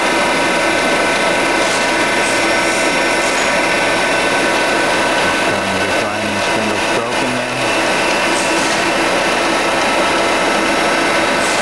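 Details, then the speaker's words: 52-inch King vertical boring mill (vertical turret lathe), internal grinding spindle on the left-hand head run under power: constant high-pitched whir at even pitch over shop hum, no grinding or knocking; spindle healthy. "I'm gonna go ahead and run it for you. Let you hear the grinding spindle there."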